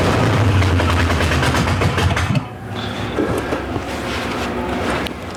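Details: Monte Carlo hot rod after cylinder head replacement with Teflon valve seals for a high-lift cam: fast even cranking pulses about four per second with a few catches, then drops away; fires briefly but won't keep running.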